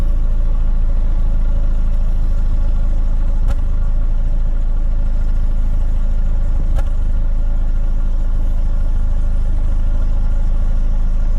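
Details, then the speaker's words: 2009 Chevy Cobalt, 341,000 miles, check engine light on: low steady idle with faint uneven stumble and a couple of sharp clicks, a slight misfire felt while driving, diagnosed as cylinder 3. "currently the car has 341,000 miles on it well just by listening to it you can kind of hear that it uh has a slight misfire"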